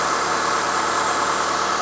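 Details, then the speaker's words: Abandoned 2006 Mitsubishi Lancer after tune-up with new spark plugs, wires, coil packs and boots, AC off: smooth, even idle with steady tone and no ticks or misses; normal idle. "Sounds good. She's idling perfectly. Hey, this is a great little car."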